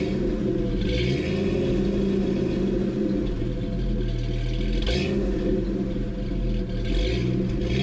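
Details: 1988 Jeep Comanche off-road build, inline six with custom side-exit exhaust: deep, even rumble at idle with a few light throttle blips through a loud exhaust, often mistaken for a V8; runs smoothly.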